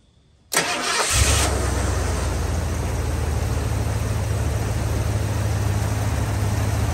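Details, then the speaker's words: Warm engine with the good ignition coil fitted after a weak coil caused hard starting and stalling: brief crank, instant catch and smooth, even low idle with no stumble. "see that starts up nice and smooth so let me cut it off"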